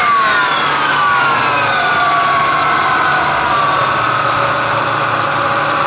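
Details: Ford Mustang V6: high whistling, turbo-like whine over the engine sliding slowly down in pitch as revs fall; owner thinks the alternator is good; accessory whine, cause unconfirmed.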